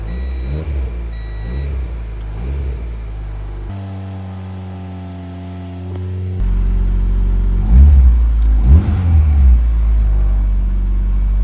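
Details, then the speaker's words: Honda Integra DC2 after retightening a loose starter (17 mm bolts); brief crank, engine catches and settles into an even rumble with a couple of blips; normal start. "The car started."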